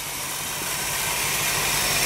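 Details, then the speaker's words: 1974 Ford Bronco at idle after new fan belt fitted (alternator belt replaced, power steering belt loosened to do it): even, steady idle with smooth hiss, no squeal or chirp; belts now much quieter, adjustment remaining. "put some new fan belt on it that's much quieter there's still some adjustment left that's good"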